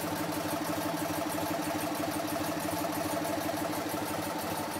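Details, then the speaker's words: BMW R50 boxer twin, first start after restoration, idling on the table with a cooling fan on it: steady, even idle beat with no knocks, ticks or misses; runs smoothly and healthy. "Is that good? Pretty cool. Does it sound like a Netashon bike? Yeah, sure."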